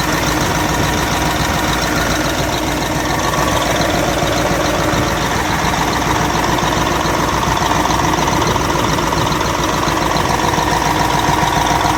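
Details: Caterpillar 988F2 wheel loader diesel before repair, with hard starting and black smoke: hard steady knock at idle over the clatter, caused by a broken cylinder 5 injector hold-down bolt letting the injector lift, damaging seals and leaking fuel.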